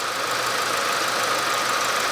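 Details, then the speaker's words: Warm petrol engine idling smoothly after warm-up at -20°C, no odd noises; when cold the power steering pump whines and seems to crunch like bearings, noise still faintly present cold; owner plans changing steering fluid. "никаких посторонних звуков"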